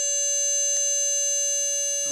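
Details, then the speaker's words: Motor spindle on PWM from a 3V supply at 88% mark duty, spindle warming: steady high whistle holding one pitch with faint blips from controller interrupt interference; otherwise clean tone. "a little bit of interference with the with the interrupts, but on the most part, that's a pretty cool note, isn't it?"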